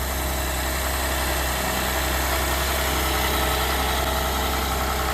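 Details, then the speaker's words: 2012 GMC Acadia SLT with the 3.6 LLT at its first start after final assembly. It needed long cranking to purge air from the fuel lines. It now holds a quiet, steady, even idle with no knocks or misses. One engine light is on, possibly from over-cranking. Normal idle. "Took a bit, but we got it. Sounds quiet."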